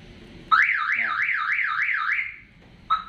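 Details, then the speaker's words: Toyota Avanza car alarm: on pressing remote lock, a loud rising-falling siren wails about two seconds then two short chirps; it sounds the siren instead of locking. "Nah, justru sirenenya yang berbunyi. Seharusnya terkunci, tetapi yang berbunyi malah sirene."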